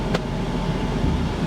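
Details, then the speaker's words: 2010 Audi Q5 Premium Plus, on the drive home after auction purchase: low, even, steady rumble with no misses, knocks or surges; idling perfectly smooth, running normally. "look at this it's idling perfectly smooth it's running perfectly"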